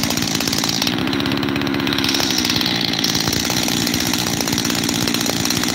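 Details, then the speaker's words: Freshly rebuilt 372 X-Torq saw with new bearings idles fast and rattly and won't settle to one speed, sounding fuel-starved. The owner suspects, but isn't sure, that the transfer cover is leaking air. "I don't know for sure, but I really hope I'm right and it's the transfer cover, because I've got two idles here."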